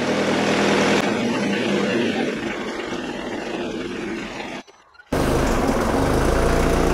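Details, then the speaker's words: Opel/Vauxhall Zafira GSI Z20LET turbo petrol, first start after fitting a reground crankshaft: bottom-end knock now gone, but idle runs a little rough with a loud puttering exhaust leak from the V-band clamp, getting smoky. "it's a little bit unhappy and it's got a real big exhaust leak from that v-band hear that puttering away"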